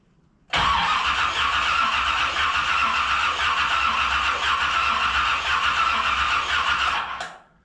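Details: 1981 Chevy Corvette V8 after engine reinstall, cranking about six seconds with a new-in-package replacement part fitted: steady starter cranking with no firing at all. Still no spark; wire continuity is checked next.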